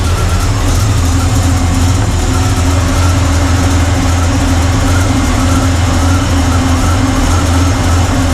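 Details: Carbureted engine (1968 Pontiac LeMans or Chevy C10) at idle during timing adjustment: loud steady idle with a constant airy rush over the drone, a massive vacuum leak from the PCV valve popping off; vacuum readings were low.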